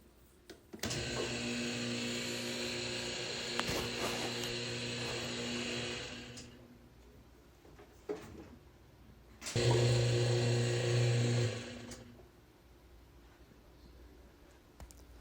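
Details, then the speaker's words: Whirlpool direct-drive washer that won't wash or spin: the motor whirs and rattles in two bursts but never drives the drum, because the motor coupling is broken and motor and transmission are disconnected. "and you heard that noise that noise is basically the coupling is broken so the motor and transmission are no longer connected so it makes that weird noise"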